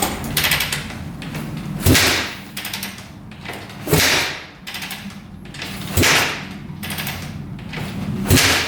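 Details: 2004 Suzuki RM-Z250 dirt bike after rebuild with new crank, bearings and top end, fresh oil: kick after kick about every two seconds, thump and brief churn, no firing; cranks but will not start, same as before teardown.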